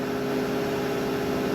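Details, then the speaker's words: Used Hydrovane variable-speed rotary vane air compressor, started slowly, believed to unload at about 130 psi, with the transducer jumped out. A steady low hum with even tone and no knocks or rattles; it is not yet unloaded and runs smoothly. "it's up to pressure so it won't build any more air oh it may build a little bit it doesn't sound like it's unloaded yet"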